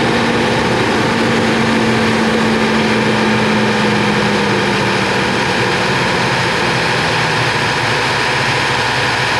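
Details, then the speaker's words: 1985 Mercedes-Benz 380 SL (R107) petrol V8 idling too high, steady fast idle; no vacuum leak, idle air control motor got no power, faulty idle air control module replaced. "this beautiful car is in here today because it's idling way too high we've already determined that it's not a vacuum leak all the hoses are good"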